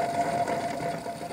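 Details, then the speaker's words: MTD ride-on mower, 76 cm deck, probably Briggs 12.5 side-valve engine: deck spindle turned slowly by hand gives a thin whirr over a gritty rasp; worn bearing with play. "Alors, est-ce que le roulement est mort? Il y a du jeu dedans. Il fait du bruit."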